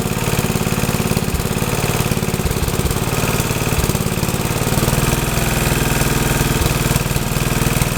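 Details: Troy-Bilt tiller test run after rebuild; owner unsure of choke setting (full, half or none) but it starts and runs good: loud, steady single-cylinder chug at constant speed, even firing, no knocks or misses.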